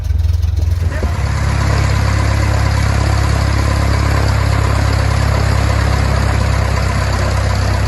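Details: 1969 Cessna 177A Cardinal, first engine start after a 16-year restoration; engine catches after a second of cranking and settles into a deep, steady, even idle throb with no misses; normal start and idle.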